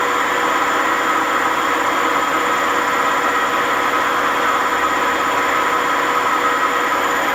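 Loud steady roar with a hard metallic ring through the high spin, no let-up; worn drum bearings grinding under load.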